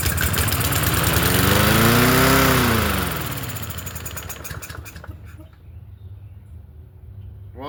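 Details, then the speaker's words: Free Yard Machines 21-inch push mower, 163cc engine, as found: engine catches and revs climb sharply to a high scream, then sag back; throttle sticking, dirty carburetor. "doesn't sound too bad, but it was starting to race. So, throttle sticking. Okay, so we're dealing with a dirty carburetor."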